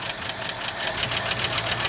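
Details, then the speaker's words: 1972 Ford F250 4x4 Highboy, revived after sitting 15+ years, oil full, warming up as throttle is worked: light even tick about five per second over smooth idle, "click clacky"; a stuck lifter is suspected, not confirmed. "Okay. Yeah, it's going it's a little click clacky."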